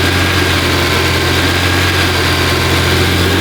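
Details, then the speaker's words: Honda NSX with fully built supercharged engine, aftermarket exhaust, fresh startup tune, held at 2,000 rpm limiter to warm up: smooth raised idle, deep steady exhaust hum, faint supercharger whine, no knocks or misses; normal warm-up idle. "I'm gonna hold the RPM limiter at 2,000 just to help it get a little hot. Exhaust note is so good, and then you can faintly hear the supercharger whine."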